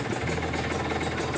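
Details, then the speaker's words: Kawasaki Ninja RR two-stroke with PWK 28 carburetor after pilot jet size change, no air filter, cold engine idling without choke: crisp fast idle, steady popping from open intake, not blubbering or too rich; healthy cold idle. "tapi ini mesin dingin tanpa dico pun masih tetep nyala gitu kan artinya pilot-jet tetap besar tapi enggak sebesar yang sebelumnya ya jadi enggak enggak basah banget gitu ya bisa didengerin suaranya"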